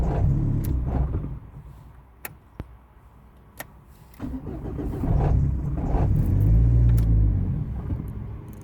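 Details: Starter churns at about four even beats a second, then a heavier surging rumble that never settles into a run; the engine cranks but will not start.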